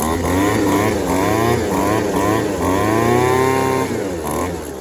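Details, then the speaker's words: Yardworks 25cc two-stroke trimmer after fitting a new replacement carburetor, cutting head reinstalled for load during adjustment: buzzy revs rise and fall smoothly with throttle, no popping or stumbling; running pretty good now, normal running. "It's running pretty good now"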